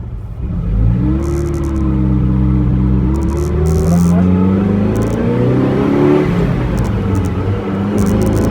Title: Overhauled Ferrari 308 engine sound